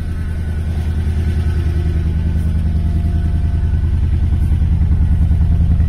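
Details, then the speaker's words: Forgotten barn-find Mercedes AMG at start-up with an uneven, lumpy, loping idle. It has a big lack of compression, blamed on head gasket failure and not on being cold or on condensation. "euh il y a un gros manque de compression VO cette voiture elle a un gros manque de compression déjà"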